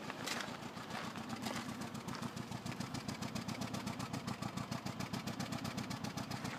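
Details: 2005 Toyota Corolla LE 1.8 automatic idling with an irregular, skipping chuffing stumble about four beats a second. Codes P0300–P0304 report a multiple-cylinder misfire on cylinders 1–4.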